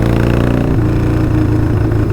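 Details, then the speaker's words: V-twin low-slung motorcycle being ridden, which the rider says feels strong. A deep, even thump pulling smoothly with no misfire gaps or stumbles; it sounds great and healthy. "And it sounds great."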